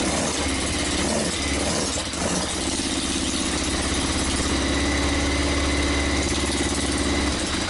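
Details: Yamaha XJ900S on first run in 10 years: uneven idle with irregular popping and spitting from the pipes over a steady low rumble. Rough sputtering idle, cause not confirmed.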